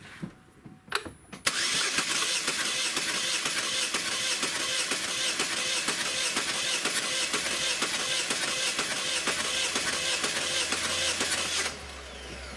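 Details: 2010 Chevrolet Equinox, 2.4 L four-cylinder Ecotec, P0300 misfire after customer replaced coil and spark plug: starter cranks about two beats a second for ten seconds with uneven beats, suggesting uneven compression; cam suspected, not confirmed.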